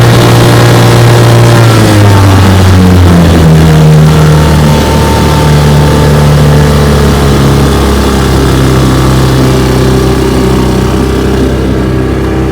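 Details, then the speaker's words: 1958 Johnson 3 HP JW14 two-stroke outboard, fully restored with a rebuilt magneto and lower unit, warm, pushing a boat about 5 mph: a smooth, even low drone whose pitch settles slightly under load, with no misses; sounds healthy. "we'll give her a test run it's going to be a warm start i've been running her she pushes my jungle here about five miles an hour"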